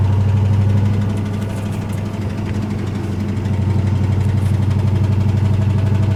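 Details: Ford Ranger with 302 5.0 V8 driving: heavy deep engine note with a steady thudding knock around four per second; worst rod knock yet from a worn rod bearing, engine being replaced.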